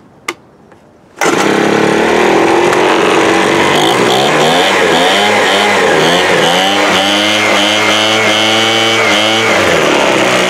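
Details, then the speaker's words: 2017 Troy-Bilt TB430 two-stroke leaf blower after new spark plug: throttle blips climb lazily in pitch instead of snapping up; sluggish, carburettor or unchecked fuel filter suspected. "you can kind of hear how you hit the throttle there it's like slow here slow coming up"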